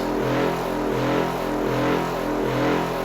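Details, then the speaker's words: Homemade "Gravicooler" with counter-rotating magnet discs, six magnets on an aluminum disc, 20 kV applied: a steady motor hum with a slow throb a bit faster than once a second, heavy vibration because the magnet disc is off balance. "and then the discs are counter rotating and spinning one right on top of the other and it vibrates a lot because my magnets are off balance"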